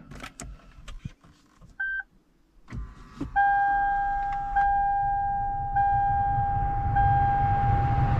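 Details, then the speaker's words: 2013 Lexus CT200 AC blower motor just replaced after earlier grunting, grinding and intermittent function. After a few clicks the fan spins up to a steady, even hum with rising airflow, no rattle or squeal; smooth and quiet. "yes we got air and it sounds smooth and quiet perfect so thank god it's all good it's working smooth i'm happy"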